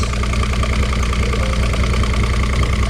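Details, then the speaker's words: 2006 Evinrude 90 E-TEC two-stroke outboard after fuel pump work; loud steady idle with even low pulse and constant hum, no stumbling; no active faults, engine temperature about 140-150. "So, uh Yeah. It's good. No active faults. Temperature is about right."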